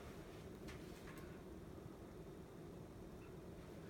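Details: Emerson Heat Fan K63 52-inch four-blade two-speed "blender" ceiling fan, restored with downrod and two-speed pull chain, on lower (medium-perceived) speed drawing about 0.78 A, 68 W: steady even low hum, no knocks, rattles or wobble. Normal running.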